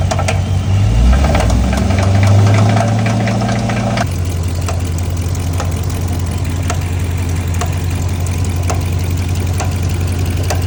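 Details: Dodge Charger SRT8 6.4 Hemi V8 blips, then settles to idle with a deep, regular knock tapping through the low rumble: rod knock.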